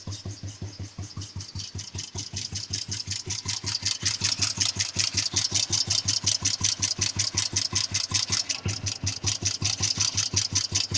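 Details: Royal Enfield cast iron 350 single-cylinder idling under three beats a second, each firing pulse with a sharp tapping edge; owner suspects piston knock, unconfirmed.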